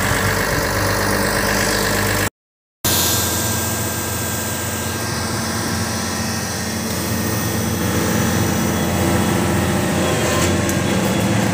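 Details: Komatsu PC500LC-10 excavator diesel after 1000-hour service and fuel priming, during the performance test: even, deep idle with a steady low rumble and no knocks or misses; engine sounds healthy.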